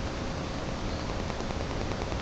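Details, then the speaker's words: Soft, even hiss and faint whir, no grinding, as a new water pump for a 1999 Porsche 911 996 is spun by hand, compared with the dead bearings of the removed old pump. "you can hear the dead bearings in the old pump here's the new pump big difference"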